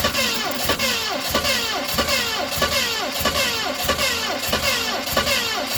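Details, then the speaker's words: 1970 Ford Mustang Mach 1 start attempt on a 2020 battery that seems weak, distributor recently adjusted, weak spark: starter churns about 1.5 beats per second, never fires; timing suspected off. "Well, she just doesn't want to fire, guys. I believe our timing is off."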